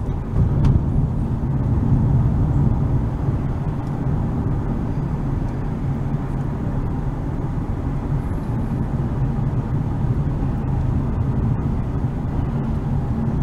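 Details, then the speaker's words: Dodge Avenger driving down the road after replacing the faulty right (passenger-side) wheel hub, initially blamed on the left; steady low road rumble with no hum or growl rising with speed: quiet wheel hub bearing. "As you can hear, no road noise. I mean, no wheel hub noise. So I finally fixed the wheel hub."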